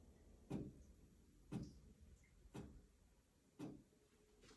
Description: Sometimes the flashing lights make a clicking noise.